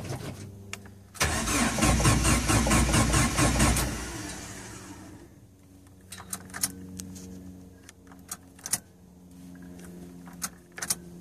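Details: Jeep YJ Wrangler, intermittent delayed or no start ("lazy PCM"); quiet, then the engine catches and roars up before settling, with odd sharp taps afterward; banging the ECM gets it to start, pointing to a failing ECM.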